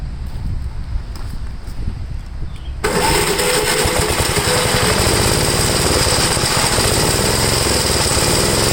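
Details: 1962 Gravely L-I single-cylinder, warmed up after a valve adjustment, compression 45. Carburetor high side adjusted; leaning it further stalls it, so it is left as is, seeming slightly rich. Steady beat, slightly soft and burbly. Possibly slightly rich running.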